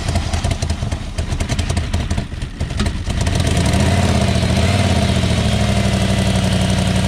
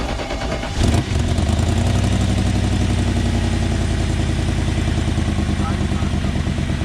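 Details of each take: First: 1994 BMW 740i (E32), first start after adding fuel with the fuel pump working: uneven, clattering idle settles into a loud, raw, unmuffled bark; runs, but the exhaust is essentially missing. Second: 1994 BMW 740i after plugging a ripped brake booster vacuum line: engine catches after a second and settles into a smooth, even idle with steady low rumble, no hiss or stumble; vacuum leak fixed.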